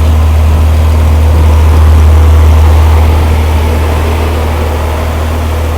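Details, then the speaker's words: Rampy 80 hp engine built from mostly used parts, at its first start with good oil pressure: a strong, even low beat of about four pulses a second, holding steady as the revs ease off; smooth, healthy. Normal running. "Got me a running Rampy motor right there. Sounds really freaking good for an 80 horsepower monster."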